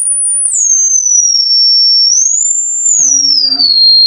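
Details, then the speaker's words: Harman Kardon HK695 computer speakers after repairing the side speakers: clean high tone gliding down and back up through the treble, no buzz or rattle; speaker plays cleanly during tone sweep. "well that's about 30 hertz and i can hear it and now i can't hear it but i can actually see the cones going"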